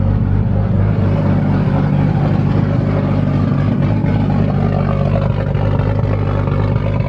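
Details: Nissan Skyline turbo engine, first start after rebuild: steady deep idle, turbo sounds good, no head noises, but very loud busy injector ticking; fuel pressure solid, AFRs good, coolant 128°F, oil pressure 5.3 bar.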